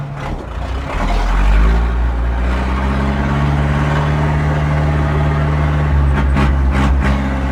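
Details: 1997 Zetor 4340 cab utility tractor, 59–60 hp, 4x4, 1447 hours, diesel, traded in unserviced, with Allied 595 loader; steady low diesel thrum at fixed speed with driveline turning, no knocks or rattles after gear and PTO checks; normal running.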